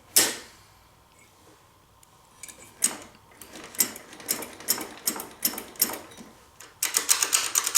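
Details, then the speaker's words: 1984 Honda ATC three-wheeler engine turned slowly by hand: sharp irregular clicks, sometimes in bunches. The part on the camshaft end with an electrical sensor should spin with the crankshaft, and its holding springs seem broken; owner suspects noise comes from up top. Cause unconfirmed. "There's some springs that should hold this in place that must be broken. I wonder if that is the noise. I have the feeling the noise is coming from up here."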